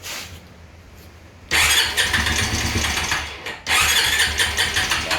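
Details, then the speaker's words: 2003 Polaris V-twin ATV: cranks and catches in two short, ragged bursts, dying each time; the spark plug is quickly oil-soaked, so the piston rings are worn. "it's already soaked the spark plug it's that quick it's so spark plug so i know the rings are gone"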